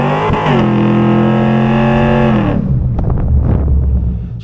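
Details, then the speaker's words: 2002 Camaro SS with newly installed 3.73 rear gears, during a 0-60 run: a steady droning tone under acceleration that drops away off throttle. The owner suspects insufficient carrier bearing preload letting the carrier move, causing differential noise. "think what happened is I didn't have enough uh carrier bearing preload. So, the carrier is moving and that's what's causing that noise."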